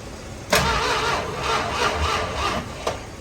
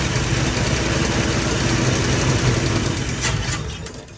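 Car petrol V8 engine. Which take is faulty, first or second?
second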